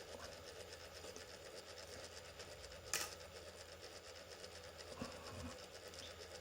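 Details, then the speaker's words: Brite-Source 120W LED corn lamp, well used and dim, two internal fans: the failing fan runs very slowly with a loud, fast rattling clatter over a low steady hum. "there are two fans apparently there is this very noisy one you can hear just here and then there's the other one which is about halfway down"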